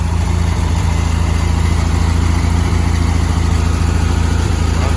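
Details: Freshly built 1971 VW sandrail, basically stock 1679 cc air-cooled flat-four, fuel pump pumping strong. Steady, even low putter at about three and a half beats a second with no misses or knocks. Normal idle.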